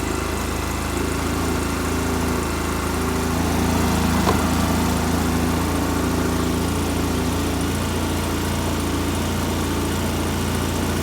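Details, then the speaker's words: 2005 Polaris Ranger XP 700 EFI after the throttle cable was adjusted to cure a high idle that followed TBAP and throttle body cleaning: smooth, even low idle holding a steady beat with no hunting or surging, now normal. "well look at here listen to that running like a chant made an adjustment to the throttle"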